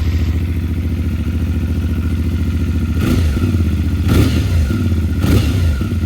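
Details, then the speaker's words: CFMOTO Ibex 450 motorcycle at 587 miles, first startup in neutral after its first break-in oil change: an even, low single-cylinder thump at idle with a few brief throttle blips, running steadily with no knocks or rattles. Normal. "There we go. Let it idle for a minute. Circulating that beautiful new oil."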